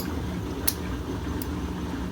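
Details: Easy washing machine running after repair for water leaking and noise: worn bearings, with coins, sand and a wire removed from inside, then cleaned. A low, even hum with no knocking or grinding, only a couple of faint clicks. Normal operation.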